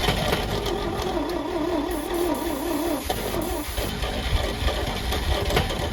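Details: Champ forklift of unknown year, sat for years: starter churns in an even, wavering rhythm for a few seconds, engine never catches; fuel reaches the carburetor; battery running low.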